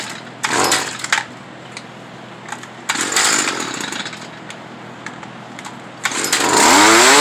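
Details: Stihl FS 55R trimmer, two-stroke, during carburetor adjustment: short throttle bursts where revs sag and stumble instead of climbing cleanly; bogs under throttle, adjustment did not cure it, likely needs a new carburetor.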